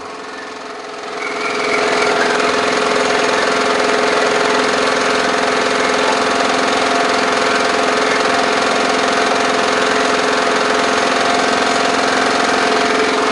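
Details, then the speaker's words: Over-revving Briggs & Stratton lawn mower engine, oil level high, owner suspects water in fuel and carburetor: revs high with harsh buzzing drone and uneven pulses, running rough; muffler loose, carburetor may need cleaning. Cause suspected, not confirmed. "got a loose Muffler yeah this thing's running pretty [Applause] bad might have to take that carburetor off clean it out"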